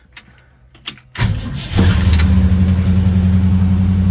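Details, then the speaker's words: 1968 Ford Ranchero 289 V8, nearly 60 years old, started after a couple of accelerator pumps with choke on: brief crank, catches within a second, revs slightly then settles into a steady even rumble; healthy start. "There you go. Just like that, it starts up. Chokes on a little bit. Revving up a little tad bit."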